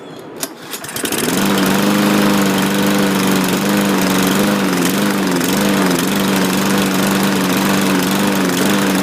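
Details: Craftsman walk-behind mower with the MyStride pace control system, bought used: fires and runs but the pitch wavers up and down, surging and rough; owner thinks it needs a carb clean.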